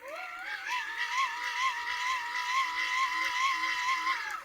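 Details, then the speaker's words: Free Play wind-up radio with three-phase generator (nine coils, neodymium magnets) and heavy-duty plastic gears being hand-cranked: smooth whir rising in pitch, then a steady gear hum with no grinding or clicking; healthy, high-quality generator. "you only have to listen to this thing when you wind it to know that it's in a different League"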